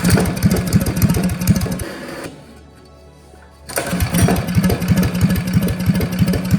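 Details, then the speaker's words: Old Russell 196cc four-stroke on a Baja mini bike, run after sitting for years, carb cleaned, jet and emulsion tube drilled out, throttle arm tightened for a broken idle screw: quick, even single-cylinder popping, backing off then picking up; running normally. "Awesome, it sounds so cool. Oh, I'm so proud of myself."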